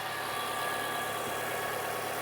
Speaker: So now let's start the engine. Let's see what we got. I got to step on the brake pedal. So as you can hear, the engine is running.